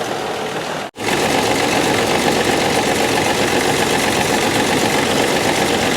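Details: 1995 Dodge 12-valve Cummins diesel just after its injection pump was put back on: loud, steady roar stays pinned at high revs and never drops to idle. Diesel runaway.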